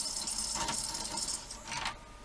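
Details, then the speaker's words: Panasonic DMR-EX99V VHS/DVD/HDD recorder after a remote's battery cover was pushed into the VHS mechanism; dry, uneven scraping rattle in play mode, pinch roller jammed against the capstan, eject not working. "that that sounds like it's jammed up it's in play mode because the pinch roll is jammed up to the capstan"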